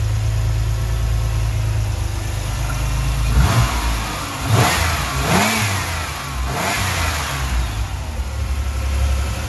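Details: 1989 Chevrolet Celebrity base model, 205,000 miles, before IAC swap: idle drifts up and down, sags almost to stalling, then catches; hunting idle from vacuum leak.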